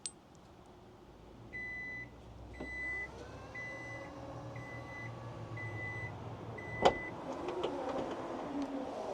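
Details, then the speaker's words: Kia EV9 power liftgate closing by press-and-hold on the key fob with the car off. Short high beeps about once a second over a soft motor whir, ending in a latch thud; normal closing. "Right, so again with the key fob, the car has to be off, and then press and hold slightly to open, press and hold continually for it to close."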